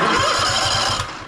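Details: Toro TimeCutter SS5000 zero-turn (model 74731) with a Toro-branded engine that won't start or stay running, on a jump pack: steady starter churning at about six pulses a second without firing; fuel at the carburetor looks yellow and smells bad, so stale fuel is suspected.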